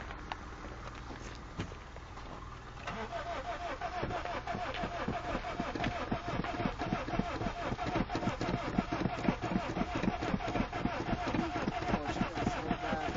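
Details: Honda Civic VTEC cranking repeatedly with pedal pumping: steady even starter churn, about four compression pulses a second, never catches; suspected flooded, battery eventually dies.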